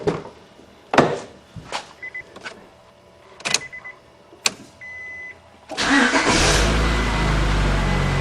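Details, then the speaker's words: Honda Accord VTEC test-started after timing and balancer belt replacement, covers off and the crank pulley bolt finger-tight. Door chimes, then a quick catch into a smooth, even idle with no rattles or vibration; belts installed correctly. "Sounds good to me. No problems. And no vibrations, so I got those balancer belt on right too."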